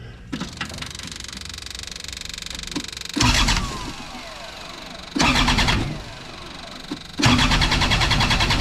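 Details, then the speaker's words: Moffett forklift diesel after replacing a failed injector, injector lines loosened for bleeding: three one-to-two-second bursts of steady starter cranking with no catch; cranks but won't start because every line has air in it. "I'll tighten that whatever one is up keep going and until we get all the air out of the system because every one of those lines has got air in it so figuratively and literally let's get cranking"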